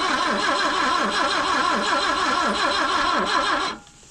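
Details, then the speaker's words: 1974 BMW 2002 with points ignition, sitting over 30 years, on 30-year-old gas: starter churns at about 3.5 pulses a second for several seconds, never catching; cranks but won't start, cause suspected, not confirmed. "no spark all spin it over cuz I actually just got shocked I heard it try it again there it [Laughter] goes she wants to go"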